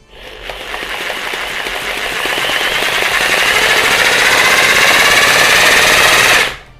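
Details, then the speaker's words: Rotary hammer drill in drill-plus-hammer mode, rotation and hammering together for concrete: rapid, sharp hammering rattle over a rising motor whine that settles at full speed, then stops; working normally. "अब जरा आप इस चक को देखिएगा और इसका sound सुनिएगा, आपको हैमर की आवाज"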